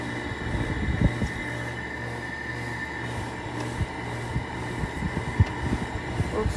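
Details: 2000s Sharp 6,000 BTU window air conditioner starting on low cool: steady low hum with even fan rush, no rattles or knocks; fan bearings not loud. Normal operation.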